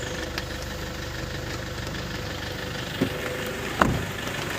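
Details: Toyota Innova with an alternator humming complaint, alternator bearing replacement involved: a steady, even idle with a smooth low drone and no hum or whine, apart from a couple of stray bumps. Normal idle.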